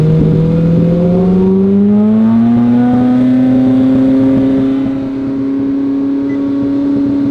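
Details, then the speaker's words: Ferrari 458 surging, then idling very high (up to about 7,000 rpm) and revving by itself, with nobody on the throttle, even after a battery-pull reset. Owner suspected a dirty MAF or sticking throttle bodies; runaway idle. "yeah it's uh idling super high and then like revving on its own"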